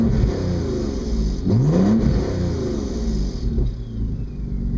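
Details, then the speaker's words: 2002 Audi S4 after Stage 2+ work, driving: raspy puffing rumble under throttle from an exhaust leak, mostly at the exhaust collector flanges where they bolt to the downpipe; turbo also audible. "the majority of the exhaust leak is coming out from the exhaust collectors of the flanges where they bolt into the down pipe so here it is so it's got a nice little Rumble it's just when I get on the gas"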